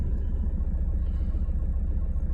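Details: Alfa Romeo Giulietta idling after MAF sensor clean and refit of intake and breather hoses (oil-covered MAF, suspected turbo/PCV oil issue), no warning lights: low steady rumble with even pulse, no stumble or surging; normal healthy idle.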